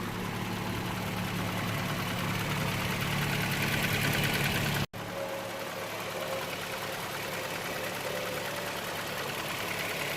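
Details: 2009 Toyota Land Cruiser GXR 1GR V6 at idle with an exhaust leak on the left side of the engine. A quick regular ticking puff, about four a second, is heard. Epoxy paste failed under the heat, so welding is needed: exhaust manifold leak.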